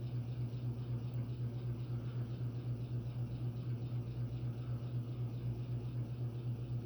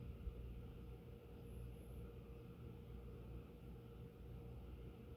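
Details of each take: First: Phil Frey custom brass Oak Leaf antique ceiling fan on a Hunter six-blade adapter with 38-inch Homestead blades at high speed: steady low hum with an even throb about four times a second; vibration of unknown source, blades not loose. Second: Phil Frey antique brass oak-leaf ceiling fan with Hunter 6-blade adapter and 38" Homestead blades, run without oil, at low speed: soft steady hum with no ticks, scrapes or wobble; running quietly.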